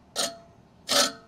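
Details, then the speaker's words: Toro Greensmaster 1000 reel spun by hand during backlapping after a height-of-cut change: harsh hissing metal scrapes all the way round, more reel-to-bedknife contact than wanted, so the reel is to be backed off 3 more clicks. "And you can hear that, it's already making that contact. Okay, and I'm gonna go ahead and spin that. And that's more contact than I personally want right now."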